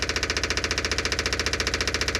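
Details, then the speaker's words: Electric fuel pump on a '57 Chevy, freshly reinstalled cleaned tank, running with a loud, hard clicking buzz about ten times a second that never quiets; running dry, not picking up fuel, and the line may need priming. "so we can listen to the fuel pump and then hopefully it's going to be really loud and then in a second or two it'll quiet down because it's going to be sucking some fuel let's see what happens so far still loud"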